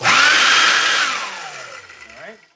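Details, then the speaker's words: Oreck vacuum: loud, heavy, rough motor roar winding down after switch-off; handle separated, fan out of balance from a lodged object. "kind of separated the handle kind of real heavy and you know doesn't really sound good."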